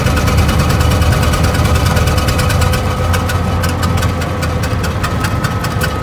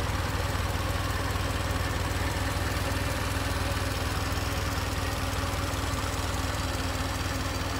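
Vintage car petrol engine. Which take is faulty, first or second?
first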